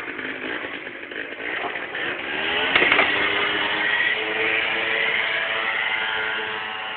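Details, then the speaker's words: Yamaha Sundiro scooter after its heavily carboned, clogged exhaust was burned out; it now starts on the first kick. Crisp, buzzy two-stroke note revs cleanly and holds high, no misfires or stutter; running strong and healthy. "A hangja is elég kemény pörgős. Szóval tud lépni."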